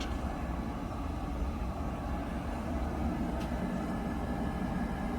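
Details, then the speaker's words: Buderus G115 triple-pass oil boiler after a service and nozzle change: steady, even low roar with no pulsing, rattles or misfires; burner firing cleanly and quietly, normal burner operation. "thing runs so quiet it's nice i can barely hear him no you don't even know it's running upstairs right"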